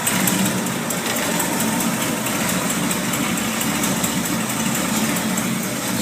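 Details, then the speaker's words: 1979 Ford with a 460 V8, just after the exhaust leak repair and not fully warmed up: a steady, deep, even idle with no ticking or puffing at the manifold. The exhaust sounds normal. "well she's not quite warmed up but that sounds pretty cool"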